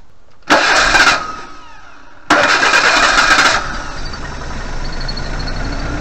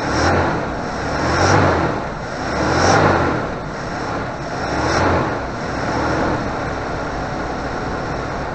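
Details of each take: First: 1988 Suzuki Vitara 1600 auto, carburettor, standing since 2004: two short cranking bursts catch and run briefly on petrol dribbled into the carb, then die, so fuel isn't reaching the carburettor; fuel supply fault. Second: 1988 Suzuki Vitara 1600 wide boy auto, carbureted, off the road since 2004, now running on a fused electric fuel pump with the air filter off. Engine catches and settles into a steady run with gentle, slow swells in level; sounds healthy and even.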